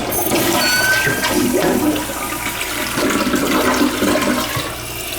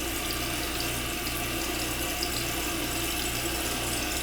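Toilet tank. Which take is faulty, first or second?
second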